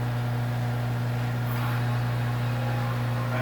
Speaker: pump got noisier and get quieter again as it comes down when you open the valves